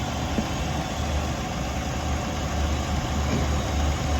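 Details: 2008 Jeep Liberty idling after the no-crank, no-start, no-power fault cleared with a jumper and the J13 fuse reinstalled; a bad TIPM is suspected. Smooth, even low rumble at steady idle with no knocks, misses or hunting, so it is running normally.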